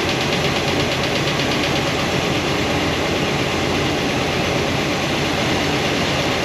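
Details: Idle with valve covers off on a new Comp Cams hydraulic roller cam and lifter combo after break-in: faint, quick valvetrain tick that returns after retightening the number 7 exhaust poly lock. That lifter shows little oil flow; the noise won't adjust out.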